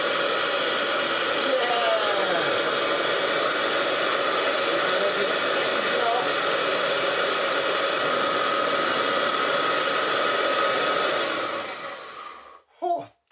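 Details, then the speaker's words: Hoover Junior 375 upright vacuum from the 1950s–60s, after refitting the belt: smooth, even motor roar with a steady whirr from the brush roll spinning reliably, no slipping, then shuts off; normal running. "But whatever. We have our brush roll spinning reliably."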